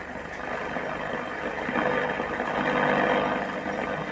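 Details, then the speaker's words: 1984 Indian-made Philips 257 Minor two-band (MW/SW) radio during repair, after hum fixed by replacing 2200 µF 16 V capacitor: steady hiss on shortwave with no stations or voices; shortwave receives only static, needs correcting/alignment. "നമ്മളിപ്പോൾ short വേവിലേക്ക് change ചെയ്യുമ്പോഴത്തേക്ക് എന്താ short വേവിന് വല്ല station നമുക്ക് കിട്ടുന്നില്ല."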